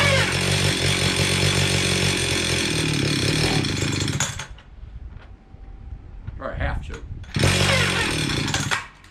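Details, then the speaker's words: Stihl 031 AV chainsaw, about 1974–76, unrun about 5 years, choke played with: screams steadily about four seconds, cuts out abruptly, briefly catches again, seems to run out of gas despite fuel in tank; fuel starvation, carburetor issue suspected. "okay it's got gas in it but it seems like it's running out of gas let's see what we got here"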